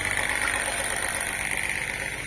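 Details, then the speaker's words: Peristaltic pump for thick mash, set to the maximum rpm that avoids motor encoder blocking, about 308 L/h: steady high whine with fast even pulsing; running smoothly. "Ну что запускаем тест секундомер приготовил включаю так Лан что не выскочил напор очень сильный"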